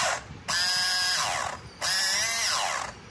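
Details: Mini sewing machine running abnormally noisy: two short runs of a loud, high buzzing whine with a rattling edge, far harsher than a small sewing machine should sound.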